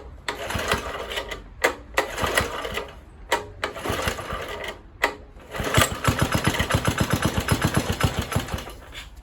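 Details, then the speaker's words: Kohler K101 engine on Atco mower after Walbro carburettor cleaning and fuel-line airlock cleared, fuel dripped on cylinder head: irregular pops and coughs on choke, then choke off and it catches into a fairly even firing beat near four per second. "Ooh. Too much. Choke off. It's firing."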